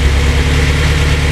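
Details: Honda S2000 first start after the engine work, with no coolant yet so it only runs briefly: a vacuum leak was fixed and it now runs much better, with a deep, steady idle, an even beat, and no stumbles, misses or hissing.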